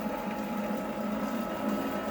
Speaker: That plywood picks up every little sound. I can hear the slight misalignment in the motor couplings, and you can kind of hear the plastic.